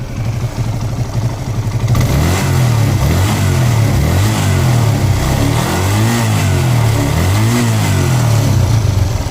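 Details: TVS Apache RTR 180 single-cylinder motorcycle after a carburettor diaphragm change for misfire, low pickup and mileage issues: revs up and down cleanly from idle, pulling smoothly without stumbling or misfiring.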